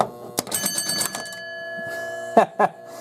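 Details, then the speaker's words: 1968 Chicago Coin Gunsmoke pinball machine under repair, score motor turning a third of a turn: five quick evenly spaced chime hits then thunks as the cam with five bumps hits its switch; switch pulsing normally, reset still not working. "as that wheel is turning a third of a turn, it's hitting the switch 5 times. Ba-ba-ba-ba-bum. Alright, so that seems to be working fine."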